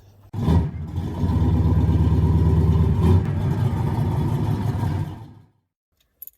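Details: 2011 Toyota Corolla: sluggish, laboured cranking for several seconds before it barely catches, then dies; owner suspects a failing starter, later replaced.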